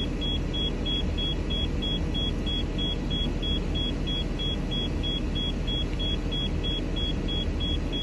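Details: Rapid high beeping, about three a second, over a low engine rumble from a 2014 Thor Palazzo XCS, Freightliner chassis, Cummins diesel; low-air dash warning after brake application while pressure rebuilds; owner can't hear the compressor.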